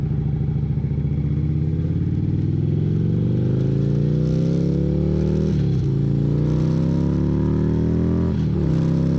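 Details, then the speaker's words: 2011 Harley-Davidson Road Glide CVO with partially gutted exhaust (baffles removed) and rear end lowered. Deep, loud, lumpy bark climbing with revs with a couple of dips; sounds ragged, like running on one cylinder. "Sounds like it's running on one cylinder. Well, I can't say I like that exhaust note, that's for sure. Sounds like dog shit."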